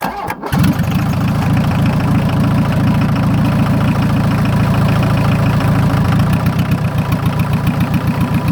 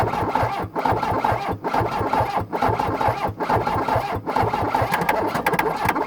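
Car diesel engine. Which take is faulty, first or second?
second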